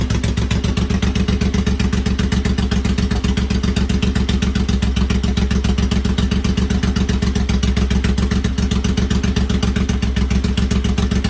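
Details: Rebuilt motor on its first start: steady, even low thrum of about four firing pulses a second, smooth and regular with no knock or tick. Engine running healthy.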